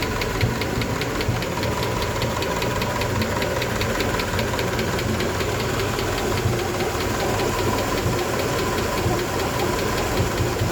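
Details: 1988 Honda engine: steady, quick, light ticking over a smooth idle, evenly spaced and constant; a valvetrain-type tick whose source isn't pinned down.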